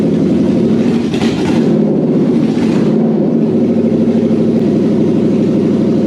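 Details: Toyota 3UZ-FE 4.3 V8 running on a test setup with an air intake fitted, after an ECU reflash and immobilizer delete. A steady, even mid-pitched hum holds constant revs with no misfire: normal running.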